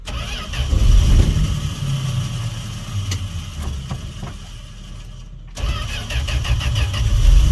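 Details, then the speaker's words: 1968 Fargo D100 truck, cold-night start after sitting 24 hours, no choke, jump-started on a weak battery; deep, lumpy low rumble with uneven firing as the cold engine runs rough but holds its idle. "wow yeah there we go it is cold listen to that baby oh come on girl i know she's cold oh boy"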